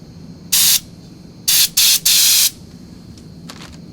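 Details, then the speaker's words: 1970 Mercedes-Benz 280 SE (W108) rear flexible brake hose job: strong, clean compressed-air hiss flowing freely as a reference, set against the old collapsed hose that passed no flow at all. "we're going to try to run some compressed air through there and i'll show you what i mean so here's what the air sounds like with nothing on it"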